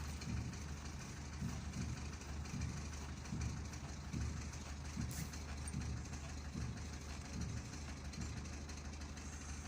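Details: Citroën C3 with an abnormal noise after taking a hit on the road. At idle there is a dull, irregular knock about every second and a half over a low hum; the source is unknown. Knocking noise at idle.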